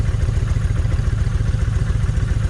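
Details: Kawasaki Vulcan 1600 V-twin, lumpy uneven idle with irregular low thumps, as if one cylinder is missing; left cylinder fires poorly and its plug stays wet. Owner suspects coil or plug wire; no change heard.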